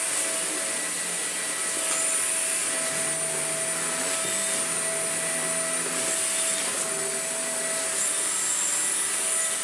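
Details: Broken Shark vacuum fitted with a new non-genuine replacement motor, old motor's sound-deadening wrap suspected of trapping dust and causing overheating: smooth even motor roar, steady mid tone with high whine, no surging or rattles; motor running healthy.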